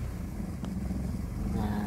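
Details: Suzuki Esteem 1300cc after a carburetor service, not yet fully hot (target about 700 rpm hot): smooth idle that lifts slightly as the air-con load comes on, then holds steady. Vacuum hoses are confirmed correctly fitted; healthy idle.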